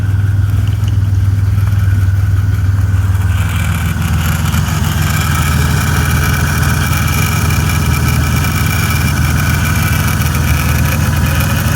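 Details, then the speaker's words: 2004 Buick Century at idle right after custom power steering return line fitted and fluid refilled: thin whine rising over idle as fluid circulates; pump whine from air, needs running and top-up. "Now that power steering pump noise, you'll hear that for a bit. We're going to have to get this run through a bit."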